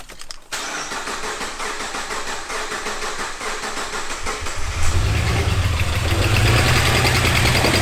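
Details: 2006 Subaru Outback, EZ30 3.0 flat-six, automatic, low kilometres, well maintained, code P0304 cylinder 4 misfire: cranks, catches and settles into a rough idle with a quick regular tick, raw fuel smell; valve spring retaining clips came off into the rocker cover, not the coil pack.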